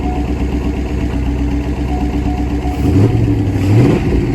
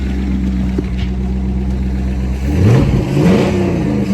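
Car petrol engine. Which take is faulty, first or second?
first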